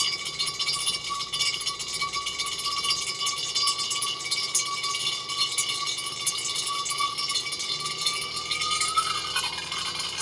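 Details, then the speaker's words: DIY magnetic vortex fountain, fan-driven rotor with 26 magnets of 1 cm diameter and 2 mm thick on a diameter of 14, 12 V: fine fast rattling buzz over a thin steady tone, the magnets chattering against the glass; noise not yet isolated. "je remets ça fait un peu plus de bruit pour l'instant mais pas l'isoler"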